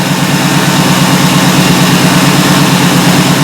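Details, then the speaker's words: 2013 Ford E350 5.4L V8 idling after clearing codes: deep, even idle with a steady low throb and no stumbles or skips; the misfire test shows no more misfires. "Okay, let's see the idle. Anything else? I don't see enemy fire right now."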